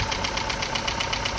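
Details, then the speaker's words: 2012 Chevrolet Cruze LTZ 1.4 turbo after head gasket and turbo replacement, startup with empty oil filter housing; fast even lifter ticking and light timing chain rattle until oil reaches the tensioner, then runs smooth. "the old filter housing was completely empty when took it off so it had to reime that whole oil filter before it could get oil through the timing chain tensioner so there was a bit of chain rattle"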